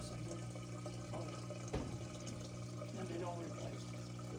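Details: Older Samsung WF328AAW/XAA washer that showed code F23 and made noise, with the drain pump removed and worked on: steady low pump hum under gurgling, splashing water, even and unbroken, now draining properly.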